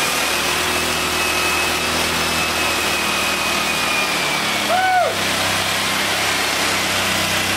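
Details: English Suffolk Super Colt vintage single-cylinder engine, clamped to a weed eater stand after manifold and ignition help, running on the bench after choke off: even, fast putter at steady speed, no stumbling or misfires, brief whistle midway; runs smooth without heavy vibration.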